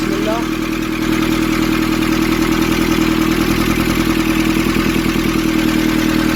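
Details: Nissan Urvan ZD30 diesel after its no-start was fixed by cleaning a black, dirt-clogged part: even diesel clatter at steady idle, about three beats a second with no misses or hunting; settles into a smooth idle.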